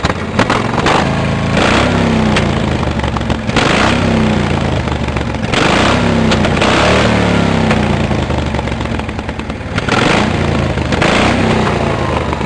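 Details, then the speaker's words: Cub Cadet 1650 4WD garden tractor build, warming up, throttle held open and revved: harsh, very loud exhaust bark swelling and dropping with each blip; open straight pipe without baffle, owner finds it too loud and plans to tame it. "I'll show you how the pipe sound too loud I'm gonna I'm gonna tame it down some"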